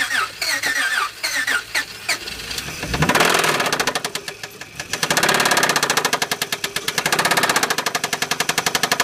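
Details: 2004 Honda Accord V6, 6-speed manual, no check engine light: hard starting, needs throttle to stay running; after a rough start settles into a fast uneven knock, about four per second, over a shaky idle; cause not yet identified.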